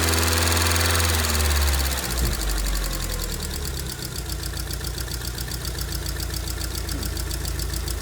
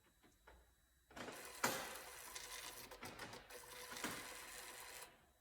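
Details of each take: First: 2002 Rover 75/MG ZT with a suspected damaged engine, stored a long while; fast, even light ticking over a slightly uneven, misfiring idle from noisy valve tappets; owner wonders about head gasket or under-torqued head bolt, no obviously bad sound. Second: 2002 Rover 75/MG ZT with a suspected damaged engine, cranked with spark plugs out and fuel pump fuse removed; steady even whirring on the starter for about four seconds, no knocks or scraping, so cranking sounds normal.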